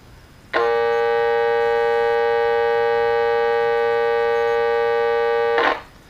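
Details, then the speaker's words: Vintage electrodynamic loudspeaker with its humbucking coil wired in phase with the voice coil instead of out of phase: loud, steady, buzzy hum with no cancellation; reversing the leads cures it. "you can hear in that case the humbucking coil and the voice coil are actually in face instead of out of face thus we're not getting any can civilization of the signal itself"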